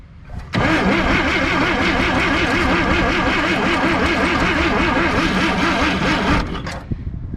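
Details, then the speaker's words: 1958 Chevy Apache, first start after 20 years sitting, choke locked up. Starter cranks at an even rhythm for about six seconds without one catch, draining the battery. Crank, no start; owner believes it's no longer getting spark. "okay okay that doesn't want to do anything well let me figure it out now we're killing the battery but uh seems like it's not getting any spark anymore"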